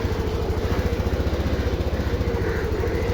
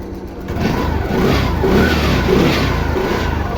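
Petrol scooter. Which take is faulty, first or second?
second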